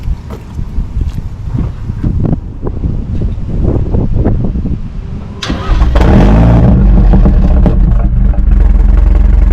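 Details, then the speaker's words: 2018 BMW 430i Gran Coupe (F36) with B48 four-cylinder and some mods, already warm: even idle, then clean blips into a deep, loud rev and back; healthy, normal idle and revving. "so right now that's what it sounds like um she sounds good man she sounds really really really good especially for a four banger"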